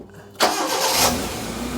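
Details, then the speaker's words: Proton Wira being returned to the road after 12 years, after new steering rack boot, fuel pump now silent, still on old fuel: quick crank, catches cleanly and settles into an even idle with no stumble or pump whine. Slight lumpiness blamed on the old fuel. "Can't tell it's running there cuz the fuel pump's not making a noise. Is it even switched on? Sounds Sounds good. Sounds good, mate."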